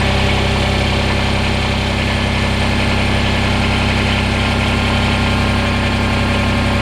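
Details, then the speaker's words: Kubota BX diesel tractor after a remote fuel filter install and bleeding, with possible residual air in the injector pump. A steady, even diesel clatter at about 220 beats a minute with no misses or knocks. Normal smooth idle while warming up. "i don't think all of you have any idea how happy that sound of a smooth riddling tractor is is making me right now"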